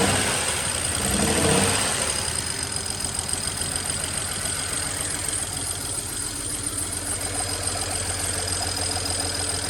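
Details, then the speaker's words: Project car started after misfire repairs with fuel lines refitted, fuel system just primed, extra quart of oil added: rough lumpy idle with uneven beat and top-end knocking, smoking up the garage; engine misfire, owner fears engine damage. "I'm afraid the top end was just knocking like a Jehovah Witness on a Sunday."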